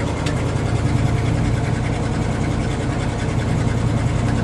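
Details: 1979 Dodge Adventurer 100SE pickup, 30 years old, 109,365 miles, cold start in December on choke: steady even low rumble at slightly fast cold idle, no knocks or misses; healthy engine.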